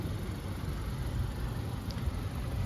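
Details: 2017 Honda Accord with a P0741 code, which the dealer says needs a new CVT; kept well since 2020. The engine idles with a smooth, even low rumble and no ticks, knocks or misses, a healthy idle.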